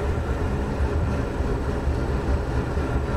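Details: Wood boiler after the secondary burn fix, a little while after lighting: a steady, deep roar with no popping or pulsing, so the secondary burn is lit and working very well.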